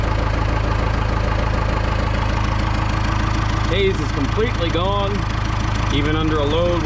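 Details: Cummins 4BT-powered Tahoe diesel, first start after manually cleaning coked injectors: even, steady idle with a smooth low throb, no misses or knock; black smoke previously seen when dropping into gear is gone.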